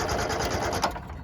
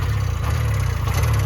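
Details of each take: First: 1970 Subaru Sambar pickup off the road 40 years, after repeated start attempts: sluggish, uneven cranking that slows and fades without firing; battery and jumper pack run down. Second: 1970 Subaru Sambar pickup off the road 40 years, just revived with oil injection working: low, even putter of the small twin at steady idle, no misses or knocks; runs properly though timing is suspected off.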